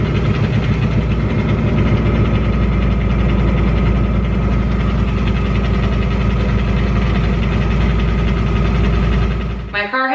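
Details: 2018 Ford Mustang GT Coyote, Whipple supercharged on E85, 5,400 miles, previously quiet: steady idle with a fast, fairly even tick over the low rumble, about three or four a second; severe piston slap suspected, not confirmed. Engine ticking.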